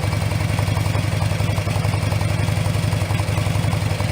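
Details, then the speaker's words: Harley-Davidson idling after both mufflers were repacked with fiberglass (right had none, left only remnants): deep, mellow, even V-twin lope with steady low thump, no rattles; noticeably different from before, normal idle. "It's got that distinctive Harley Davidson sound, but it's just like you can listen to that all day. It's not going to drive you nuts. Anyway, there's a noticeable difference from what it sounded like before."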